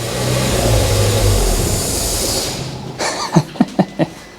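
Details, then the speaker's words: Ford Fiesta ST180 at a high idle: a loud, steady rushing hiss of air over the running engine, fading to a few clunks, traced to a completely snapped-off intake pipe fitting, the intake leak causing the high idle. "there's a pipe fitting that pipe there well you see it's completely snapped off that is what we're hearing all that noise on air"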